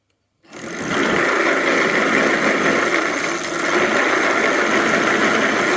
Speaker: okay and the problem with the i mean the rattling noise or that chattering noise whatever it was from the broken tooth of the gears